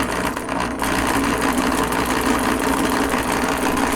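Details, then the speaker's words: Thrift-store Singer sewing machine running: a fast rough clatter of about three beats a second over a harsh motor whir. The owners suspect it is very dry; it still works. "Okay, it just sounds like it's really dry. Oh, yeah. So much so that it's like, it's just making awful noises."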